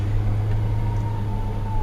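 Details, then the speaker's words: 1991 Dodge Dakota driving after sitting about 90 days: engine rumble with a thin steady howl from the clutch throwout bearing binding on the shaft; the clutch is very grabby. "can hear it now it's a throw Baron binding in the shaft sometimes it's so bad that you can hear the you can feel it in the clutch pedal then all of a sudden she'll grab"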